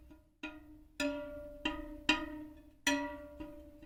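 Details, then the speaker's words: Ribble R872 road bike, Chinese 50mm carbon rear wheel, newly fitted replacement spoke plucked: six or so sharp pings round a low, flat note versus the high-pitched others; under-tensioned, needs more tightening. "it's a much flatter sound isn't it need that more high pitch resonance so they're all high pitch the new one very low tone so we need to keep tightening that until we get that resonance up a bit higher"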